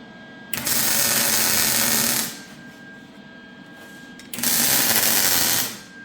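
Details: MIG welding a c-notch on a chassis after a sputtering gas problem was sorted: steady, even crackling hiss in two clean bursts, no sputtering or popping; arc smooth and stable.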